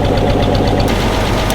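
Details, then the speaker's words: Loud, lumpy idle with a periodic stumble from one cylinder misfiring, improved from two cylinders missing earlier; antifreeze smoke is seen from the exhaust. "The cylinder's coming back. We like this. This is good. Missing on two before, now it's only missing on one."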